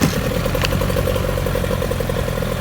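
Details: 1997 Johnson 15hp two-stroke pull-start outboard with front shift, freshly tuned up with carburetor serviced: quick, even popping beat at steady idle with no misses or knocks; runs clean and healthy.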